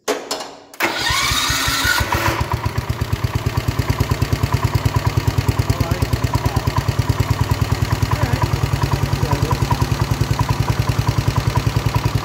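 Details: 1970 John Deere 110 hydraulic-lift patio tractor, single-cylinder, started after swapping out a dirty fuel tank. A cough and rough catch, then it settles into a steady, even thump of about three beats a second. It starts and runs cleanly.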